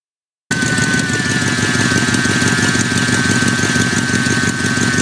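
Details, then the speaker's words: Engine idling with a fast, sharp ticking puff on every exhaust pulse: exhaust manifold leak, common in GM engines from loose or broken manifold bolts, often confused with lifter tick. "another noise often confused with lifter tick is an exhaust leak these are common in GM engines due to loose or broken manifold bolts"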